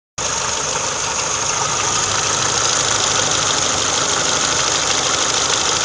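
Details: Idle after switching to Motul 5W30 oil, which made the valve ticking disappear: even idle with a steady airy hiss and no distinct top-end ticking; normal idle.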